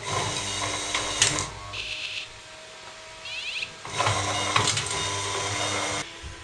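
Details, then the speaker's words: Wood-fuel production machine with automatic logjam clearing: motor grinds and bogs, goes quiet, then beeps and restarts in reverse to free the jam; controller detected a jam and reversed the motor. "When it jams, it will produce a phew and then keep on beeping, having reversed the motor to free the hobby logjam."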